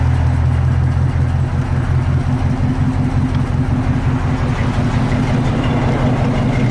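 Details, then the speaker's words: 1968 Chevy truck V8 with new 4-barrel carburetor, distributor cap, coil, Flowmaster exhaust and flattened, leak-free exhaust manifolds: deep, even idle burble with no ticks, misses, knocking or tapping; healthy. "So it sounds pretty good. No knocking, tapping, or anything like that."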